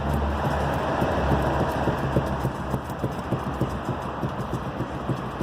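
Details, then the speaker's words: 2010 Toyota RAV4 2.4 petrol, owner complaining of a suspension noise: quick, sharp knocks, about three a second, as the steering is rocked, from internal play in the steering rack, felt as a strong knock and resonance at the steering wheel. "a a a caixa de direção internamente lá com folga e barcelona estão conseguindo enxergar ele esta folga aí que está gerando a gerando uma batida muito forte uma ressonância"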